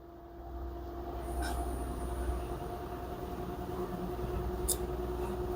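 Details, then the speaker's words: LG front-loader washer-dryer (10 kg wash, 7 kg dry, smart inverter, direct-drive motor) with a complaint of huge spin noise: bearings and seal checked fine, and the spin ramps up with a smooth, steady hum. Spin sounds normal so far. "Now you can see the machine now increasing RPM, spinning cycle. Now still no any abnormal noise from the machine, still having normal noise."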